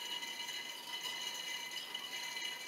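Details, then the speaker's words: SCAG 36-inch walk-behind with Kawasaki FS481V at its 10-hour service, engine off: thin, hissy gurgling rattle as the oil extractor sucks air. The sump is empty. "say she's pretty empty there well that's good enough for me"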